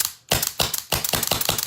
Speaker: Okay, so that's that sound I was talking about. You hear that slapping sound? So we need to add more pressure.